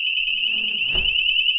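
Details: BRAUMM WiFi door/window contact sensor armed, window opened: loud, steady high-pitched siren sounds continuously, sensor triggering the alarm properly.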